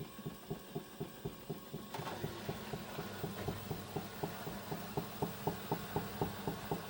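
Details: Hyundai WME8410 washing machine entering spin: regular knocks about four a second over the hum as the drum ramps up, disappearing once maximum spin speed is reached.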